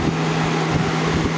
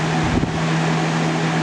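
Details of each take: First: 2000-01 GE box fan model 106620 with chipped blades, running on high: a steady low hum that wavers as the fan slows slightly then revs back up. The owner hopes it is not a bad capacitor; it still stays up to speed. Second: 2000–01 GE box fan model 106620 with chipped blades, on medium speed: even constant airflow hum, low steady drone, no rattle or ticking; normal running.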